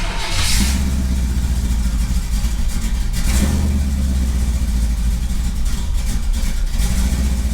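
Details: Firebird V8 after replacing ripped intake manifold gaskets that caused a big vacuum leak, and finding a broken spark plug: steady, even low rumble at about 1000 rpm, no hiss or hunting; sounds way happier, a normal healthy idle.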